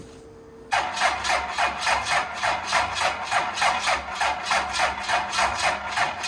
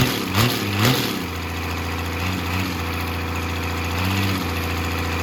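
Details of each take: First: 12-valve Cummins on an engine stand after cylinder deglazing, very low mileage, first start attempt before break-in: starter drags the engine over slowly for eight seconds without firing; starter not up to snuff, two more starters tried before one rolled it properly. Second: 12-valve Cummins diesel on an engine stand out of the truck, first run after a rebuild for glazed cylinders (cause unknown; deglazed). Even, steady idle clatter with no knocks or misses; running smooth and healthy.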